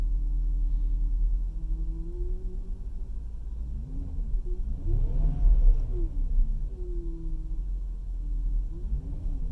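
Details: Porsche Cayenne Turbo: low whine rising and falling with revs over engine rumble; source unconfirmed.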